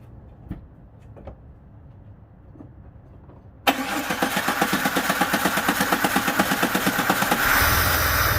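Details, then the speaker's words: 2004 Jeep Grand Cherokee WJ that stalls and hesitates at idle: slow cranking catches and settles into a steady pulsing idle after cleaning; owner suspects hard start was flooding, unconfirmed. "I think the reason it was kind of hard to start is it might have been just flooded."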